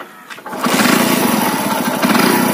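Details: Hero Honda CD 100 being repaired for a starting problem, started after a replacement part was fitted: short crank, then the single catches cleanly and settles into a steady, even idle with no misfire; normal start and idle.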